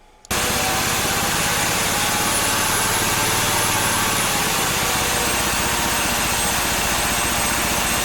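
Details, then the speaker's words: Supercharged four-stroke on a Mikuni carburetor jetted for a two-stroke, not yet tuned under load: a buzzy drone with a high whistle that sags after about four seconds as boost drops away; supercharger quits again after briefly reaching 2 psi, owner suspects the taper lock. "and right about here the supercharger calls it quits again I'm suspecting it's still that Taper Lock"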